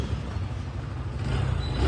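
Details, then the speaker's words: TVS Star Sport BS6 motorcycle after fuel pump motor replacement (low intermittent pressure caused hard starting, stalling, jerking); kick-started easily, steady even single-cylinder putter rising on throttle; normal running. "है accelerator सेही काम कर रहा है यह हो गई complete"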